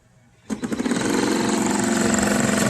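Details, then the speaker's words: Dolphin S 300i pool robot that previously had a seized motor bearing: motor spins up and holds a steady hum with fine rapid ticking, and the impeller moves air, but the robot barely moves; drive slipping, likely a stripped gear. "but after I turned it on I realized that it's not the motor it's Uh something's slipping I can hear the motor running the whole time so the motor's still good"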